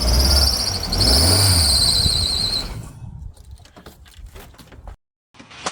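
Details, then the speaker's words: Manual Toyota Glanza, started cold after sitting unused and cranking reluctantly. A loud, steady belt squeal with smoke within ten seconds, then cut at shutdown. The owner thinks the water pump is completely locked up; the water pump was later fixed and the alternator replaced. "once we got it started there was bad belt squeal, and I'm going to show you an example of what was happening now."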